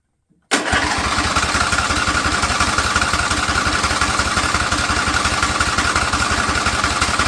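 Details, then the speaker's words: Husqvarna riding mower, Briggs & Stratton Intek V-twin, over 900 hours, first start after flushing fuel line and reconnecting plugs: choppy, uneven beat about three pulses a second with heavy smoke; rough running, owner suspects old gas. "yeah it looks like it but hey it's running off the carb not well but it's running now that old gas it's that's probably what it is realistically"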